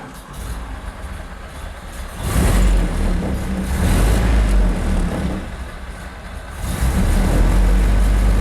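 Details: 1931 Ford Model A four-cylinder, just restarted after a shorted headlight wire blew the fuse: surges and sags unevenly between throttle bursts, never a clean steady beat; running rough, dirty distributor cap and points suspected.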